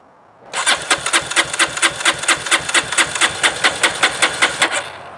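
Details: Honda CRF230F carbureted dirt bike, stored a year with pump gas, no stabilizer, lithium battery, choke on, first start attempt: steady starter chug for about four seconds, never fires; cranks but won't start.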